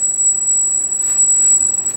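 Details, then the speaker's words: Cheap Chinese V3.1 brushless gimbal controller on carbon fiber hexcopter gimbal with GoPro Hero 2, first power-up before setup: piercing high-pitched motor squeal near 8 kHz, fixable by a controller setting. "so we get a few problems here first of all you can hear that high pitch squeal and that's pretty typical of the gimbals that I get"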